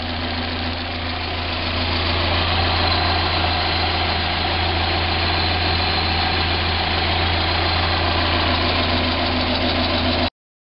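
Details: 1990 Mazda Miata at idle: a fast tick of about four per second over a buzzy hum. It separates from the hydraulic lash adjuster (HLA) tick on acceleration and deceleration and persists with 93 octane fuel, so a ping is doubted; the cause is unclear.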